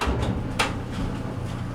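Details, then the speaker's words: Maytag LDE390 electric dryer after cleaning lint build-up from the blower housing, which had caused an odd noise at start: low steady hum, a few soft load thumps, no scraping or squeal; quiet again, repaired. "and it did it's nice and quiet again okay what we did here um basically was just clean out a blower housing on a maytag dryer"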